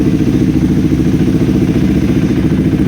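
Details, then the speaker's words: KTM Adventure 390 single after replacing an ordinary NGK spark plug with an NGK iridium plug to cure stalling; steady even firing with no misses or stumbles, very responsive; normal running, stalling gone. "Ayos na ayos guys napaka responsive ng ating ktm adventure 390"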